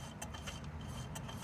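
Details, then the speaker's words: Vauxhall Corsa C jacked up, nearside rear wheel spun by hand: weird crunchy, gritty rasp of a suspected worn wheel bearing; the offside, first suspected from inside the car, is silent. "you hear that it's a weird volcanic all crunchy sort of noise so I still think it's a wheel bearing"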